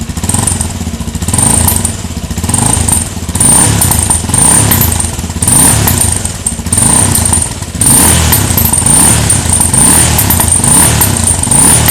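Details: Suzuki Djebel single-cylinder motorcycle: loud thump with an uneven surging beat and rough clatter on top, an abnormal engine noise of unclear source.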